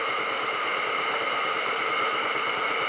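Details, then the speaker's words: Tefal Access Steam Force DT8270G0 handheld garment steamer, 2000 W, new unit, trigger locked for continuous steam; even steady hiss with no sputter or spitting, running normally. "so you can see right there the continuous Steam function and giving you a look from a different angle"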